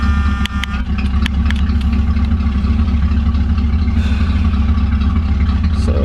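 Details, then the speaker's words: 1976 Mustang Cobra, carbureted engine, true cold start after one gas-pedal press to set the choke: starts almost at once and settles into a steady, even low idle with no knocks or misses. "You see it starts right up even on a cold start."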